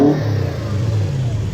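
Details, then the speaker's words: Toyota Hilux with 1UZ-FE Lexus V8, lack of power and poor idle; fairly smooth idle with slight lump, revs hollow and flat. A spark tester shows no spark on one tested cylinder, so it runs on only four cylinders. "So it's actually sitting there pretty smooth. There's a little bit of a lump to it. It'll rev. This is how flat it sounds."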